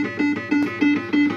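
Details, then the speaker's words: Second System80 machine with identical board and setup, used as comparison with the faulty one: clean, crisp tones repeating evenly with no crackle, hum or distortion; normal sound output. "But that sound is crisp."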